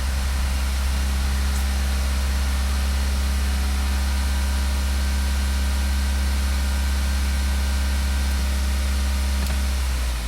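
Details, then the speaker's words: 2012 VW CC, 2.0 TSI CCT engine, during camshaft timing basic-settings test, brakes held and full throttle, engine revving itself while cam driven to maximum advance; steady deep note at raised revs, no knocks or stumbles, normal running. "and then the engine starts revving on its own and it'll show test on eventually and then right now it's controlling the camshaft to maximum advance"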